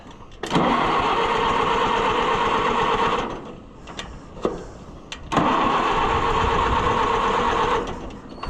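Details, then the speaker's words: Oliver 550 loader tractor, long abandoned, starting fluid tried: two bursts of about three seconds of cranking, turns over but never fires; owner doesn't think it's getting spark, pointing to faulty ignition points. "I don't think we're getting spark yet."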